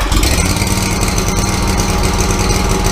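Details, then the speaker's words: Exmark mower with a carbureted engine on a cold start with the choke pulled on: an uneven, lumpy, hunting idle. It runs rough on choke and smooths out once the choke is pushed off. "how the engines running crappy when the engines running crappy chokes off okay right now we're idling the engines running pretty smooth"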